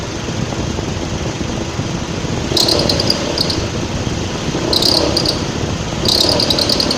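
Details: Mitsubishi ASX 1.8, warm engine, AC on, about 1100–1200 rpm, hot weather. Short, sharp belt chirps every couple of seconds with vibration at idle. The fix was replacing the alternator with one that has an overrunning clutch.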